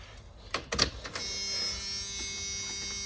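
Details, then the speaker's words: Cheap box truck that had sat since 2019, with a new battery fitted. At key-on the key clicks, then there is a steady, high electric buzz and no cranking at all. Owner suspects a seized starter and possibly a bad fuel pump; cause unknown. "We get buzzards. I won't crank over. I'm thinking maybe the starter ceased and we might have a bad fuel pump."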